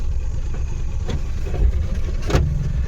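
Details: Maruti Suzuki Omni van idling in neutral, then a single sharp clunk as first gear goes in. First and second gears do not engage properly while third and fourth do; owner suspects bushings, not confirmed.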